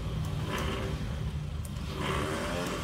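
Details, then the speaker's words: 1979 Triumph Spitfire, first start after two years, battery charged, remote starter switch: starter whirs freely in surges with no cranking, bendix not throwing out to engage the flywheel. "the starter worked last time as you can tell from that noise the Bendix is not coming out"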